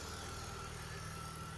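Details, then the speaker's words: BMW E46 330 (M54B30) track car after fixing a loose valve and vacuum leak and reconnecting lambda sensors: smooth, even idle with a steady low hum and no stumble, hiss or misfire; fuel trims within ±5%. "runs very nice at the moment."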